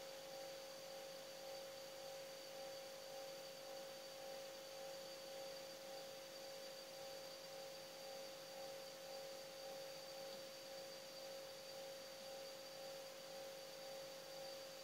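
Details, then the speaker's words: Refrigerator after refilling freon (with methyl to clear blockage), listening at the capillary: quiet steady hum with soft even hiss; compressor running and refrigerant flowing, capillary not clogged. "ini suara di dalam ada sakan tes Apakah kapiler ini berjalan Anda dengerin jadi ini suaranya Ini Yang Namanya tidak mampet"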